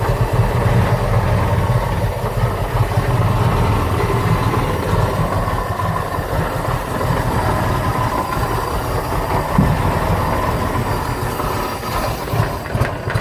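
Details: 1985 Bayliner Trophy boat engine, unused about three years, runs steadily with a deep, even rumble and slight rise and fall, holding idle. This follows ether to work past a carb fuel problem: normal running.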